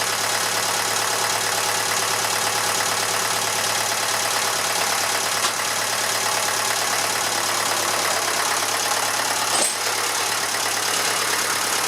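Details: Massey Ferguson 35 (835), Standard 23C diesel, first start in over a year: steady, even idle chatter with no misses or knocks over a hissy background; slight blow-by for its age, owner suspects a failed hose clamp leaking coolant; normal idle.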